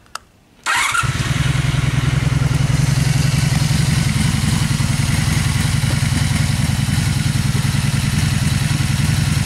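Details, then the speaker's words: 2002 Honda Magna, already warmed up, no choke, in neutral, after carb rebuild and cleaning with new in-tank fuel filter and fuel line: starts within a second and settles into an even, steady idle with smooth rapid pulse, no knocks or misses; healthy. "it sounds pretty good"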